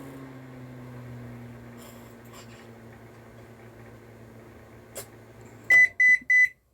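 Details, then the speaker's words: Electrolux MEF41 microwave, brought in dead with nothing lit, after repair and a replaced membrane keypad, running a 10-second test: steady low hum while heating, then three sharp beeps at the end; normal operation, working fine. "e diz ó funcionando bonitinho tudo funcionando bonitinho Sem problema nenhum"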